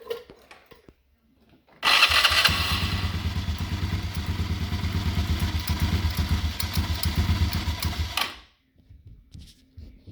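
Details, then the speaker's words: Mid-2000s Polaris Sportsman 90 ATV idling with floorboard and belt cover removed: even, steady single-cylinder beat, no bearing whine or grind. The squeal came from a dry, gritty bearing in the belt cover. "With the floorboard pulled and the belt cover off, I'm going to start the machine back up and see if we still hear that"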